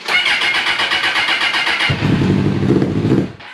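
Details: First start of a Suzuki Bandit 650S barn find that sat two years, battery trickle-charged, on choke with the clutch held in: the starter churns steadily for two seconds, then it catches roughly, stumbles and dies; slow to fire.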